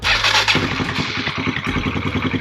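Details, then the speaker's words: Kid's dirt bike after a tune-up, jump-started from a 4-wheeler battery with the choke pulled and the petcock on: catches on the first crank and settles into a quick, even single-cylinder putter; normal start. "Oh my gosh, instantly. So as that's running, I'm just gonna put on our fairings, we'll put the seat back on,"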